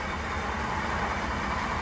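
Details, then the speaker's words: 2022 Ford F-350 in 4x4 and drive with wheels off the ground, after replacing the front axle shaft hub seal that caused a noise on engaging 4x4: a smooth, even drivetrain hum with no clicking, grinding or whirr, now quiet. "I don't hear nothing all right underneath it same thing as we did last time but there's absolutely no more noise coming from this Hub seal that you saw us replace on that axle shaft"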